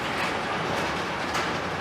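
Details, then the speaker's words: Neglected garage door after new rollers and lubricated hinges and pivots: a continuous, even rolling rumble with no screech, squeal or clunks, where it screeched before. Normal operation. "so nice smooth and it's quiet so much more quiet it was screeching and everything else before"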